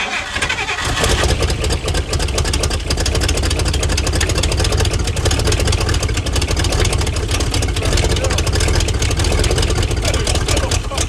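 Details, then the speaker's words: 1956 Chrysler Windsor, not run in 5+ years, rebuilt starter fitted: it runs rough and uneven only on fuel sprayed into the engine; it runs only on hand-fed fuel, and the fuel supply may need a filler neck or pump. "runs. But we are dumping fuel everywhere, and it's very dangerous."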